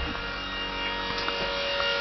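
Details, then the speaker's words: 1987 Dodge Daytona electric conversion, electric power steering pump running off the accessory system fed by Chennic DC-to-DC converter: loud steady high electric whine and hum, no engine; under strain voltage drops below about 11 V, check gauge light. "we can just hear the incredibly obnoxious power steering pump"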